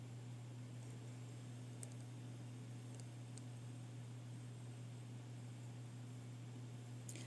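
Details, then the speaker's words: Casper Excalibur laptop after replacing a fan damaged by WD-40-type lubricant: quiet, steady low fan hum with only faint clicks, no rattle or scraping; both fans run normally. "görmüş olduğunuz üzere her iki fanım da şu an faal biçimde çalışıyor ve herhangi bir anormal ses yok gerektiği gibi normal fan sesi geliyor"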